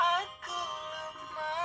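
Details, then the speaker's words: Redmi 4A after replacing the UI/charging board with speaker, antenna and mic: music plays through the loudspeaker clean with no crackle or distortion; normal loudspeaker playback, while the earpiece still has trouble. "terdengar ya, tidak ada yang pecah suaranya, sudah aman."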